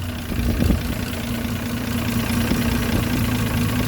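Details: Land Rover Series 3 109 2.6 at start-up during a tune-up: a steady, even low idle with a faint hum and no knocks or misses. Revs are a bit low and oil pressure is good; the idle still needs some work.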